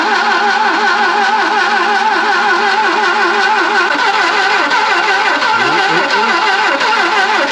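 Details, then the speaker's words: Barn-find Saab 99 first start attempt after pumping fuel through, on its own battery: slow labouring cranking with the odd cylinder firing but never running; voltage drop suspected, jump pack called for to crank faster. "[laughter] >> Nearly. It's firing. >> Promising. Yeah, >> it's firing for a minute."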